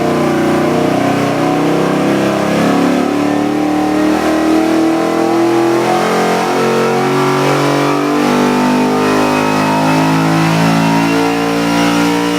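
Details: LS3 427ci EFI stroker V8, forged internals, AFR heads, for a 1956 Chevy: revs smoothly up and down, crisp even exhaust note, no ticking or knock; normal revving.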